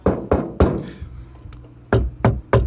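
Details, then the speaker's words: Hand knocks on a 40-year-old car door panel after restoration and adding sound deadening give dull, low thuds that die quickly with no tinny ring; panel now solid, no longer flaps. "and it's still solid, so it came out really good. After adding that sound deadening, look here."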